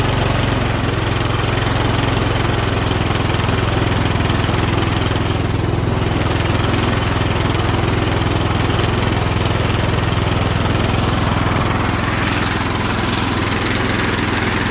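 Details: Kohler Courage 20 engine on a Cub Cadet LT1045 tractor with around 500 hours, just after valve cover gasket replacement, valve lash adjustment and a new spark plug: even, steady putter holding speed with no misses or ticking; normal running.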